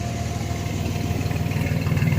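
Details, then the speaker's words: 1994 Chevy S10 Blazer 4x4 4.3 V6 with 190,000 miles; even low exhaust pulses at steady idle swelling slightly near the end, no misses or knocks; running healthy and driving good, with only steering play and ABS light issues noted. "everything else seems to be good she's running healthy sounding good driving good all the lights work"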